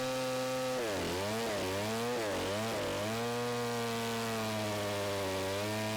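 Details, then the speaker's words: 090 chainsaw milling on a 42" Panther Mill with the throttle locked and the governor removed: note dips and surges under uneven cutting load, then climbs to a high scream; over-revs without governor. "the chain speed and the RPMs obviously increased so the chain speed increased as well so the cut speed went up but as you can hear it really started to rev up really quickly as I wasn't able to keep a constant load applied to the"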